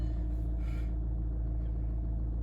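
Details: Volkswagen diesel, cold and not revved, idling while jump-starting another car: a deep, steady low rumble, even with no knocks or misses; a normal cold diesel idle.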